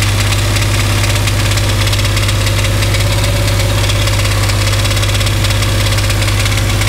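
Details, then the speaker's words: Dodge Dakota with 5.9L 360 Magnum V8 on a lift: heavy idle with a dull rapid knock, loudest at the transmission/bellhousing; source not yet narrowed to engine or transmission; deep knock. "all right so you guys heard that noise coming when we turn over the engine so since it's hard to determine whether it's coming from the engine or the transmission"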